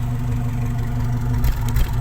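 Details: 1995 Toyota Kijang Grand Extra 1.8 at idle: low, steady exhaust burble with an even beat and some handling noise; a healthy engine, no exhaust smoke.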